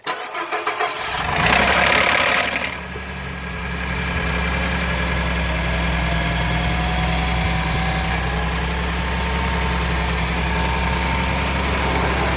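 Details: 2013 Ford F-150 EcoBoost, cold start; brief cranking, catches and settles into steady idle with a faint thin whistle rising in pitch, occurring only on cold start; cold start engine noise, cause unclear.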